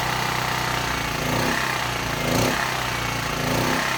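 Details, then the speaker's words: Small generator engine bought cheap, unknown condition, carburetor leaking, running on its own: rough and busy, speed swelling and sagging about once a second as the governor hunts. It struggles to suck in fuel, so the engine surges from fuel starvation at the carburetor. "the reason it's doing that it's having a hard time uh sucking in this gas so the governor trying to kick in"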